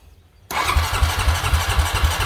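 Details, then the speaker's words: 2005 or 2008 Honda Rancher 350 ATV on a cheap aftermarket carburetor: starter cranks at a steady quick rhythm, about four pulses a second, without catching; hard to start but fine once running, owner suspects the carburetor. "it became hard to start once you get it running it was fine but it's really difficult to get it started so this is what it does"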